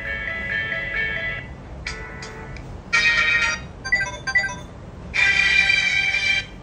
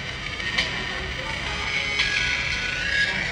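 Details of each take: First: Samsung A10s after repair: ringtone plays clearly from the loudspeaker, no hiss or crackle; raspy audio was caused by a non-original charging board, fixed by replacing it. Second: Samsung A10s ringtone through loudspeaker: thin, raspy, buzzy, bassless sound after a non-original charging board was installed elsewhere; fixed by replacing the charging board.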